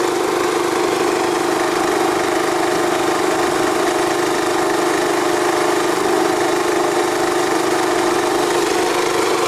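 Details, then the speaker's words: Energizer eZV3200P inverter generator in eco mode, about ten feet away, holds a moderate, steady drone in the mid-to-high 50s dB with no surging or rattles; normal eco-mode idle, still fairly loud. "so it kind of hangs out in the mid-50s so around 6:00 dish and mid-50s to higher 50s in the equal mode so it's still pretty loud"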